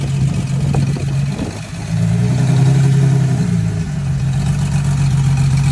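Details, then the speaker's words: Porsche GT3 RS flat-six at light throttle, misfiring during normal driving, plugs and coils unchanged for 24,000 miles: uneven stumbling beat with dips in the note; misfire suspected from plugs or coils, later replaced. "last week the car started misfiring and acting weird while I was just normally driving"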